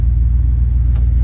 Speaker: So just another reason why these older cars are so awesome. But she is running extremely smooth.